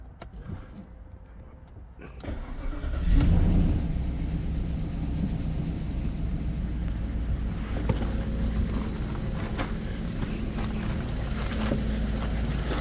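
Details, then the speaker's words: 2001 Audi A8 D2 quattro 3.7 V8, first start after about 9–10 years sitting, new battery, faulty alternator disconnected after it smoked: starter whirs briefly, engine catches and settles to a steady, even idle without knocking; little smoke, ABS light on. "It's a runner. Yeah, obviously there's quite a lot of work. I've got the ABS light on. Not too much bad smoke coming out the rear."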